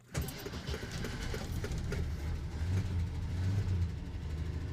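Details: 1969 Kaiser Jeep Wagoneer, cold start on about half choke, checked out at a Jeep dealer. A short crank, then it catches fast into a slightly uneven fast cold idle. Seller suspects maybe a slight exhaust leak; oil pressure and temperature fine. Normal cold start.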